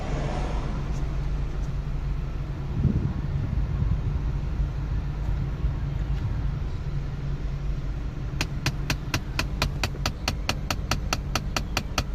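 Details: MK7 VW GTI at steady low idle; after the A/C is switched off, a fast, even, sharp clicking starts from the HVAC, about four to five clicks per second.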